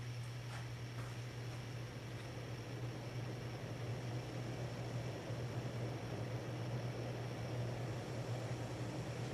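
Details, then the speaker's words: April 1982 52" Hunter Original ceiling fan #22822 with shaded-pole motor and 3-speed conversion, switching to high (about 200 RPM): steady low 60-cycle hum with soft even whoosh, no ticking, rubbing or wobble; motor normal. "You might still hear the 60 cycle hum from being a shaded pole motor, but again, these are early 80s fans. They're all going to have that. Nothing wrong at all with the motor."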